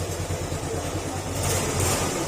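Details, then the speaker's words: Old Yamaha Sporty motorcycle engine at idle with CVT pulley removed: steady rapid low bottom-end knock; suspected crankshaft bearing or crankshaft, not connecting rod; engine to be overhauled. Engine knocking. "Check natin maaring may problema yan sa segunyal bearing or ah sa mismong segunyal pero hindi ko siya naririnig ng ano ng connecting rod kumbaga makalampag lang siya"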